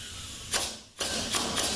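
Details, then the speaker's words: ZF 5HP24 transmission A clutch drum air check after assembly: short hiss of air, then a crisp mechanical clunk as the clutch applies cleanly; drum holds air, check good. "you can hear that cluck being applied"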